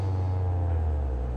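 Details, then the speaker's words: Old-school Hollywood Sound Labs 10-inch subwoofer during refoam, new surround glued and centered, driven with a signal generator near 60 Hz: clean, steady deep tone with no flapping buzz; cone moves freely. "let's get her down to about 60 40 50 hertz or so i've got a max amplitude but now that's nice and centered it sounds really good"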